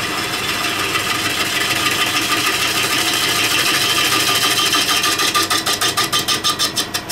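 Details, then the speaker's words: Lathe turning an out-of-balance beech salad bowl blank on a VB36, facing off the top with a light cut: the hissing cut breaks into rhythmic chattering bursts, about three a second, as the gouge hits the high spots. "that chattering noise when we hit an ear and the work piece."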